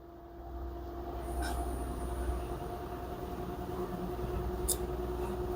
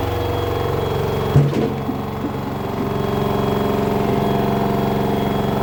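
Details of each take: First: LG front-loader washer-dryer (10 kg wash, 7 kg dry, smart inverter, direct-drive motor) with a complaint of huge spin noise: bearings and seal checked fine, and the spin ramps up with a smooth, steady hum. Spin sounds normal so far. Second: LG front-loader 10 kg wash/7 kg dry smart inverter direct-drive washer, loaded, during spin: heavy steady drone with a fast buzzy rattle over it, jet-engine loud; bearing and ducts fine; control board mounting vibrating loose.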